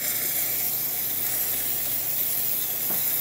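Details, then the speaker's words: Jura Impressa F9 espresso machine, heated up, after a new encoder was fitted for error 8. Steady, even hiss of dry steam with no sputter or gurgle: normal steam wand output. "and then it will start pushing water through the whole system at a higher temperature and then it will produce steam as you see right now good steam coming out of the one"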